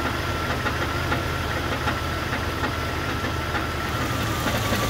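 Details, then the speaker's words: 2001 Jeep Cherokee XJ 4.0 inline-six, recently lifted, at idle: dull hollow clunk repeating about twice a second over the engine hum; rod knock, engine to be swapped. "i just lifted this thing for my buddy tommy but unfortunately now it has a rod knock yes that unmistakable clunking sound"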